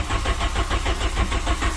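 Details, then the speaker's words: 1997 VW Vento (Mk3 Jetta) with automatic gearbox, raised and levelled for a gearbox service: starter cranks the engine over in quick even pulses with no catch or firing, again won't start; owner suspects the distributor. Crank, no start. "Fucking car won't start again."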